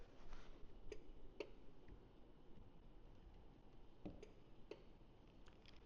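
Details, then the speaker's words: 2013 Ford F150 with RideTech air ride, rear door popper triggered by touching the glass: a few faint, sharp relay clicks inside the cab with no motor whir after them. The relay switches but the popper gets no power. "So, I can hear the relay clicking inside, but it's not powering the door popper."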